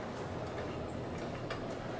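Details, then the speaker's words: 1963 Otis black-button traction elevator, 4 floors, office building: quiet room with a few crisp scattered clicks as controller relays pick up a hall call; normal relay-logic operation. "can hear the relay clicking all right we'll give you and go down to one"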